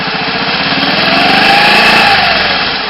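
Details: Honda ATC 110 after full rebuild, first start while checking ignition timing with a timing light: small single cylinder ticking over fast and even, light buzzy exhaust with slight speed drift; normal idle.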